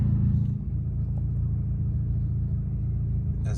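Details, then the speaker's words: 2006 VW Golf GTI, driven for a week after a bad misfire with a flashing check-engine light: a low, steady, even rumble with no stumbles or pops. There are no codes or misfires; the suspected slightly faulty coil pack is unconfirmed. Engine runs normally. "well we've been driving around in Murphy for a week now and uh he hasn't missed a beat no issues whatsoever no misfires nothing"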